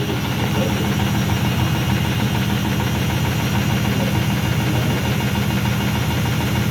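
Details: IFB washing machine on the spin cycle: a heavy, steady rumble with a pulsing vibration about three beats a second, much louder than a normal spin; loud noise during spin.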